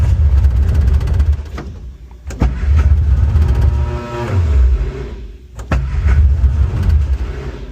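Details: Barn-find Austin Mini 850 pickup stored 30 years, carbs fed from a drip bottle: the starter churns, then the engine catches and runs rough but keeps going, with a deep uneven rumble and revs rising and falling; engine starting and running.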